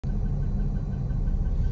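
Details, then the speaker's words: Porsche Boxster at idle: faint quick chirping tick about six times a second over the engine rumble; serpentine belt already replaced but ticking remains, cause unknown. "I don't know if you can hear in the recording or not, but I'm in idle, and like there's a chirping sound. Let me know what it is."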